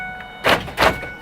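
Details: 1999 Ford Expedition with replaced door lock actuator, key cycled 8 times in the ignition to enter fob programming: two quick sharp clacks about a third of a second apart as all locks fire together crisply; working normally.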